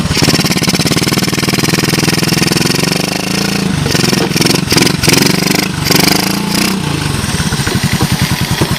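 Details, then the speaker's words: 1986 Honda TRX125 single-cylinder from a scrap yard, hotwired and run on a jump pack. It fires and settles into a quick, even thumping idle with a brief throttle blip; no smoke and no bottom-end noise, purring healthy. "the engine sounds like it's in fine shape I got no Cho no smoke she sounds good I don't hear any bottom end noise matter of fact she sounds real nice right she just purs"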